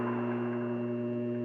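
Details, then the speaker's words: Variable-speed lathe running forward: steady low electric hum with no wobble, knock, rattle or vibration; the motor runs smoothly and is well balanced. "And it's variable speed from very slow to stinking fast. And it must be balanced just about nice because there's not a bit of vibration on"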